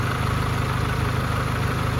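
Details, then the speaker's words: Honda at operating temperature after a valve job and rockers done on the bench: steady low idle with no ticking or tapping from the top end; sealed up, valvetrain quiet and healthy. "looks like everything else is sealed up good pretty quiet"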